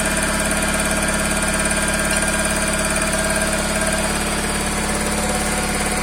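A steady, fairly regular ticking knock of about three per second rides over an even idle; a knock of unknown origin.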